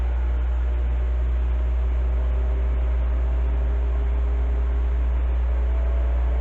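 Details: Heathkit SB-1000 amplifier powered up via variac, tube removed, fuses and switch bypassed: steady low hum with even fan whir, no rattles, scraping or speed wobble; cooling fan running normally.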